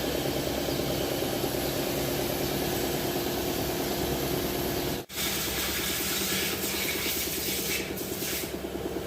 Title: Repair of Engine Misfire code P0304.Nissan navarra.